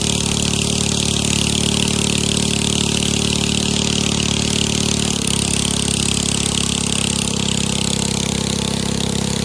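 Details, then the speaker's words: 7.5 hp petrol engine driving a pump with a two-way 6-inch intake and a 6 m shaft, running at steady speed; loud even bark from the straight racing exhaust, which is not cracked; running normally. "ตัวนี้เครื่องเรือท่อซิ่งเสียงดังแต่ท่อไม่ได้แตกนะครับ"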